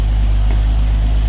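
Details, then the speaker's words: Blue Bombardier tracked snow vehicle after a cold start, gas pumped a few times as the carburetor is slow to pick up fuel; steady, even low purr with no misses as it warms up; normal idle. "but he's got it running. It's purring away here right now. So we're gonna let this just warm up a bit."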